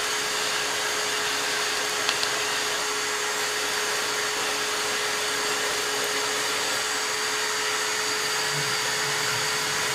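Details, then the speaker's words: Shop vacuum during Cockshutt 90 carb and manifold removal: steady high whine with hiss holding without change, motor straining at full point when it is supposed to shut off. "Oh, that's what a vacuum sounds like when it's supposed to shut off."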